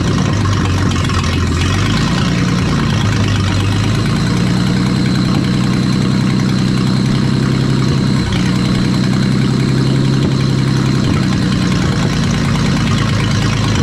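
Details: 1938 Dodge flathead six, restarted after sitting 40 years, cranked on 6 volts after firing order and timing were corrected: low, steady idle with an even beat and a brief blip of revs; running smoothly.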